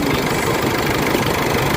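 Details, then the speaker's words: Isuzu MU-X diesel after low-power fix, idling in the engine bay: steady even idle with smooth low rumble and no knocks or rattles from underneath; quiet and healthy. "Maganda na yung under ng makina, tahimik na, wala ka na gano'ng maririnig na ingay. Okay. So ayan, tahimik na siya guys."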